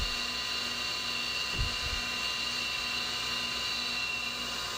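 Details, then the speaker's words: CNC milling of an AR15 gas block with a new end mill, RPM lowered to cure earlier flute-chipping chatter during axial profiling, coolant pressure dropping: steady, even high-pitched cutting hiss; clean, chatter-free cut. "Now, this is a new end mill. I've been using it a while and I haven't heard anything on it yet, so everything is working out great there."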